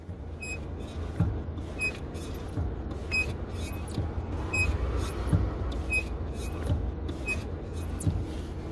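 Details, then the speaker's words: 2019 Nissan Frontier: short sharp squeaks about once a second over road rumble from clutch pedal mechanism; dry pedal pivot, fix is lubricating the clutch pedal mechanism. "e olha só 500 esse barulho da do pedal de embreagem"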